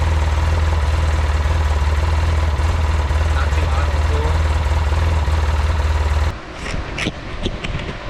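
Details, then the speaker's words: Polaris Ranger 800 twin after full engine rebuild, fuel pump, power steering and suspension repairs, warm: steady, even low thrum at idle with no knocks or misses; engine idles smoothly. "What's going on is got it idling fine."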